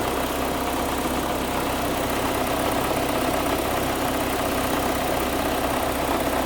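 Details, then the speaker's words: Audi after timing belt and water pump replacement, first start with some connectors left unplugged: engine runs with an uneven, lumpy beat and ragged note under a steady drone, running very badly. "I didn't have these plugged in. Obviously, it was really hating me super bad, but now we got, sounds a little better."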